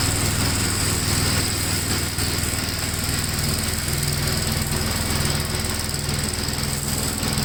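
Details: 1957 Gravely tractor mowing test: single-cylinder engine pulling steadily at working speed, slight unevenness as load changes, no knock or miss; runs pretty good, normal running under load.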